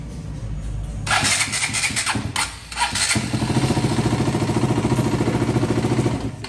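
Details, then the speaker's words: KTM Duke 200 that cranked but wouldn't start, after swapping the generic starter for an original NS starter: steady even cranking about three and a half turns per second, no grinding, current back within range (97–140 A); normal cranking. "Listo, como pueden observar, le pusimos ya otro arranque. Este es el que tenía, un arranque genérico. Vamos a ver cómo está prendiendo."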